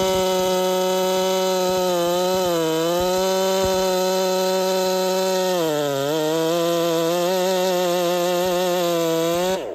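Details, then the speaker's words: Heavily modified Holzfforma 372 chainsaw (big bore kit, wild porting) with timing advanced, cutting: high steady two-stroke scream near full throttle, dipping twice under load, popping, won't rev out; owner suspects timing too far advanced. "she had this little popping thing going on she doesn't want to rev out really well so I'm suspicious that the timing was actually too far Advanced"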